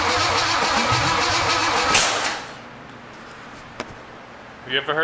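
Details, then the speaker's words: Unknown Chevy big-block 454, cranking about four turns a second for two seconds with no firing; number one double-checked, distributor found 180 degrees out. "term 180 out or newbie mistake that's what that is double checked number one and there we are we're going to have to switch that around a little bit"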